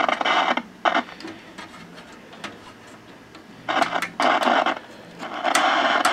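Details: 1958 Admiral 15C1 black-and-white tube TV under repair assessment; intermittent buzzy bursts through the speaker with quiet gaps, sounds like signal from modulator; audio present but no picture.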